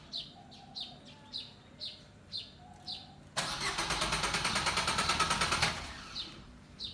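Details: Suzuki car that never starts on the first try: starter cranks evenly for about two seconds with no clean catch, over birdsong; hard starting with extended cranking.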